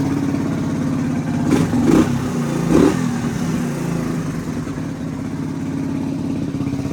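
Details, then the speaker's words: 1985 Suzuki DR250 survivor just revived, still warming up: single-cylinder thump blips up a few times then drops back to a slow even idle with no clatter; quiet engine, no cam chain noise. "Engine is really quiet. I don't hear the cam chain at all. Be a little bit low there. She's still warming up."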